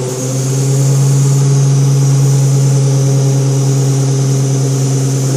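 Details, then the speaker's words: ZF 5HP24 automatic gearbox in EV conversion under Arduino control, warming up, line pressure controlled; steady low hum with bright hiss: relief valve blowing off as line pressure is reduced, suspected, not confirmed. "actually hear there the very uh prominent sound of a valve blow blowing off uh which I imagine is the fact that we're controlling the line pressure and reducing the load on the pump"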